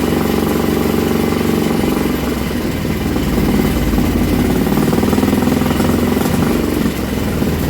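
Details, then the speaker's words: Old Villiers single-cylinder engine on a bench, on choke, drill-started: loud, steady putter with even firing and no misses; runs cleanly, shaking the bench; kill switch contact painted over so it wouldn't stop. "there we go foreign that lead off because the kill switch on the back of the engine didn't turn the damn thing off and she's starting to shake everything off the bench"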